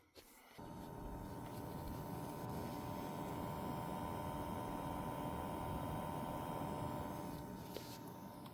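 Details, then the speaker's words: Newly built budget gaming PC whose BIOS battery was fried by a power outage: constant high electronic whine with a faint steady hum from power-up, never changing pitch. Owner suspects the GPU and plans to remove it to check. "I think in a way that the sound comes from the GPU. Maybe I will take off the GPU and then I will listen to see."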